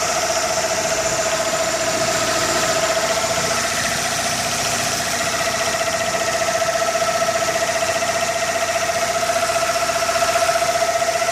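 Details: 1998 Toyota Camry 4-cylinder 5S-FE, used, strong blow-by at oil fill cap; PCV valve, plugs and oil changed, oil stabilizer added, no check engine light. Steady cold-start idle with fast even tapping (~4/s) from crankcase for about 5 minutes, then gone; undiagnosed.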